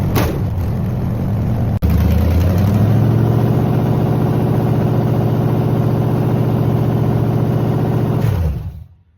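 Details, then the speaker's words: Engine on a test rig after its coolant froze over winter and pushed out a core plug, running on water with the timing gun hooked up: catches quickly, blips up, then holds a smooth, even rumble before shutting down cleanly; runs normally. "But I'll be damned. The damn thing runs. I don't see anything wrong with it."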